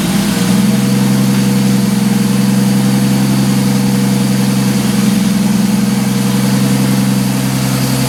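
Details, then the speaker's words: 1983 Ford Fairmont Futura, turbo Vortec 4200 DOHC VVT inline-6, after ECU trigger fix (rising to falling edge): steady, even idle, smooth low hum, no knocks, ticks or stumbles; normal idle. "so our starts idles um spins tires"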